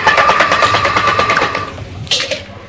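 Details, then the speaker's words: Donkey piston water pump motor runs with a fast, sewing-machine-like clatter audible from outside the house; the knocking comes from the piston end, where the crank set and bush wear through inside. "Dunki pump के motor में यह चीज देखने को मिलती है कि इसमें आवाज आ रही होती है और दूर से ही घर के बाहर से ही पता चल जाता है कि इसके घर में मोटर चल रही है दोस्तों ज्यादातर ये आवाज जो है यहां से आ रही होती है और यहां पे ये पिस्टन का मसला होता है इसका क्रैंक सेट अंदर से कट जाता है बुश कट जाती है"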